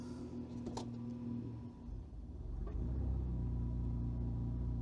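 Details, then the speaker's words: Freshly installed engine on new aftermarket ECU, idle about 800 rpm, coolant temperature somewhat low: rumbling idle sags hard for about a second when drive selected, then recovers to steady 600 rpm; idle control motor later found faulty. "See how it dipped really low and then it picked itself up. Now it's idling at 600, which is not bad."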